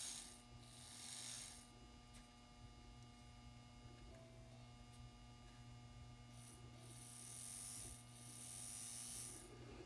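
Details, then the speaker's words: N scale Kato F3 locomotive, rescued secondhand, running after the universal coupling was moved closer to the motor and the flywheels were adjusted: steady, even motor hum with a light gear whir and no knocks or binding. "That sounds pretty good to me."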